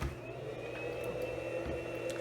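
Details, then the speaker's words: Centech inverter, rated 750 W, powering a 500 W halogen work light and drawing about 50 A at 12 V with battery voltage sagging. Its fan runs hard with a steady whirring hum and a constant high whine, normal under heavy load. "but what you'll notice is the fan will make quite a bit of noise when I power it on"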